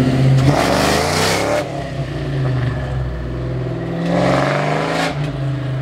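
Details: 1996 Cobra under hard acceleration: revs climb in pitch with a rough, gritty grind over the engine on hard pulls only, not every time. Owner wonders if it is transmission, clutch or rear end; source unknown.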